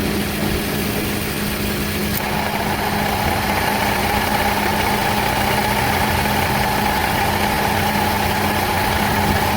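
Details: AC compressor, bad: steady idle, then compressor clutch clicks in and a fast uneven rattle rides over the engine, stopping when it disengages — bad AC compressor rattle when engaged.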